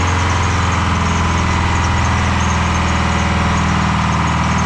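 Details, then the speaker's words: Detroit 4-53T turbo two-stroke diesel with 9G90 injectors on vegetable oil, low fuel pressure from loose suction hose clamp: heavy lumpy uneven idle, one cylinder not pulling; running on three cylinders, injector number two not firing. "so it's only running on three cylinders and that's on vegetable oil it's injector number two"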